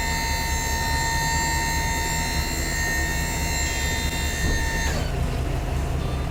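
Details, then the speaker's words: Junk removal truck hydraulic bed lowering with engine left idling so the alternator supplies voltage: steady high pump whine, tone differing from raising, cutting off cleanly when bed stops; normal hydraulic pump operation. "So we're gonna bring her back down now. And if you listen, you can hear the difference in tone."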